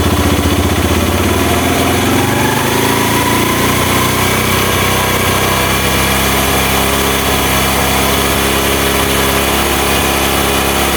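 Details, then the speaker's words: Honda Mega Pro mono single-cylinder, formerly sometimes needing high throttle to start and dying at idle, after an air leak was found and the air screw adjusted: steady putter holding an even idle speed, no hunting or stumbling. "oke mas bro ini sudah ketemu ya setelannya ya memang tadi memang ada kebocoran anginnya"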